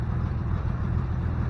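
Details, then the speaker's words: 1988 Chevy S10 with new engine and TBI, first run: steady low rumbling idle with dull choked exhaust note and tinny rattle like aluminum cans, weak exhaust puff; possibly blocked original catalytic converter suspected. "picking it up sounds like a bunch of aluminum cans and doesn't really be it's not Puff out exhaust like it should"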